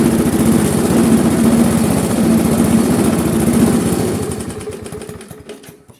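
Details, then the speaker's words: Briggs & Stratton Classic carbureted lawnmower engine, throttle tied with a cord: chugs at a low, lazy speed without picking up, then winds down and stops; it no longer stalls but won't rev, because the governor spring is stretched and slack. "Notre moteur fonctionne, il cale plus, par contre il ne prend pas du tout de tour."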